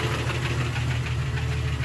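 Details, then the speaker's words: Jeep 4.0L engine reassembled after crankshaft/rod work, torqued to spec; steady rapid knock from the bottom end at idle, in time with the engine; owner unsure whether piston slap or rod knock, cause not confirmed. "well there's still a knock and stuff don't know what it is i guess you can get the stethoscope you know figure it out"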